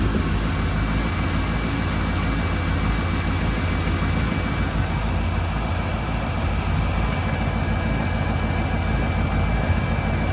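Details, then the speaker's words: Engine with 28-year-old fuel injectors, just cleaned with new O-rings and a reinstalled fuel rail, restarted after a known hot-start problem: a low idle rumble with an uneven, unsteady beat that still idles rough, cause unknown. "We're going to see what she does at idle when it drops. He's still idling rough."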